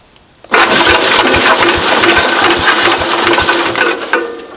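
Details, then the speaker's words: 1970s Cub Cadet 109 hydrostatic garden tractor, likely 10 hp Kohler single-cylinder, not run in years: brisk steady unlabored cranking at about four compression strokes a second, seeming to have some compression, before a compression test; strength unconfirmed. "okay so it turns sounds like it's got some compression"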